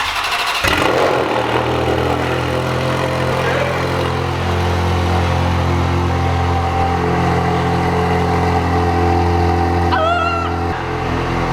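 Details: Cold start with a newly installed exhaust, snowing outside: petrol engine cranks, catches and settles into a steady, deep fast idle with no ticking or exhaust rattle and no check-engine light.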